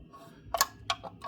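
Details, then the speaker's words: 2024 Tesla Model 3 Performance on 20-inch wheels with wheel covers, at low speed: sharp plastic clicks, the same clicks produced when the loose wheel covers are tapped or pulled; fixed by removing the covers. "right then I think the noise is actually coming from these wheel covers so if you actually tap on them and pull them it's making the same"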